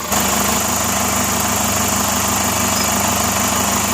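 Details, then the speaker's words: Chevrolet Captiva at idle during a noise comparison between two engine versions, averaging 72 decibels. Even, steady idle with a smooth hum and no knocks or misses; the engine is healthy. "Average 72 decibel. Yang SL bukan katanya gitu. Yang NFL. Membandingkan suaranya mesinnya halus mana."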